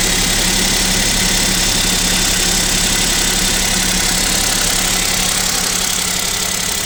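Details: Kia Picanto 2 1.0 G3LA, cold idle at about -7 °C: steady light tapping, roughly four knocks a second over the engine hum; owner suspects piston knock and possible overhaul, unconfirmed.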